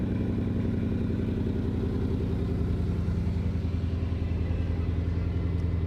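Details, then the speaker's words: Car that runs and drives despite a broken radiator, with low coolant, transmission, airbag, EPC and check engine warnings and barely any fuel: loud, lumpy, stumbling run of about three to four pulses a second, suspected misfire. "Sounds like it's got misfire."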